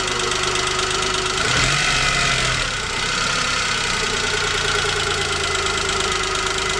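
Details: Chevrolet Spark 800 cc petrol engine idling: loose, uneven ticking over the hum with a brief rise midway. Owner asks whether it is engine knock; cause unclear.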